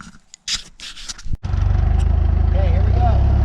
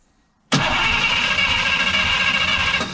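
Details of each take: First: 1951 Oldsmobile 88 parts-car engine after compression test (warm compression rose from 110 to 170); after a cranking catch it settles into a deep, steady idle with a slight lope, running sound for its age. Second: 1951 Oldsmobile 88 parts car, warmed up, compression test with one spark plug out: quiet, then the starter spins the engine steadily at a few beats per second with a bright whir, not firing; that cylinder rose from 110 to 170 psi.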